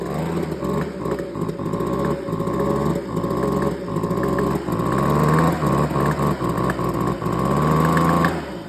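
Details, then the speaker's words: Small two-stroke engine running with a sharp, steady knock about three or four times a second; a hard internal knock, owner suspects a busted piston, unconfirmed. "I I want to show you guys what the sound of engine knock is cuz this is a perfect example. I think this got a busted piston."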